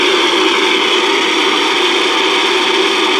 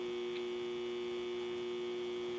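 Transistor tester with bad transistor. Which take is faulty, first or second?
first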